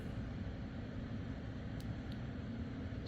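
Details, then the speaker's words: MSI laptop fan after repair of a fan that had been going berserk, with heatsink removed and fuzzy thermal pads cleaned: soft, even airy whoosh with no rattle, buzz or rising whine; normal fan operation. "and spinning also no more furry um thermal pads all cleaned up working beautifully"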